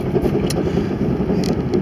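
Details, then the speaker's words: 2003 Jeep Grand Cherokee Laredo with 4.0L inline-six, driving in four-wheel drive: steady low growl under road noise; it also appears in 2WD after 10–15 miles; worn front CV joint suspected. "now when it's in two-wheel drive after you drive for about oh 10-15 miles it starts making that growling noise again"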